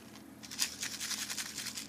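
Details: Compaq laptop hard drive from a laptop beaten by its owner, drive case deformed, shaken by hand. Bright glassy rattling bursts from loose fragments inside the sealed case: the platter has completely shattered.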